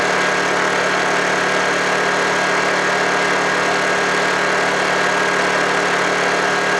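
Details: Honda generator unused for about three months, after a cold start: steady, even drone at constant pitch with no misses, knocks or hunting, running smoothly.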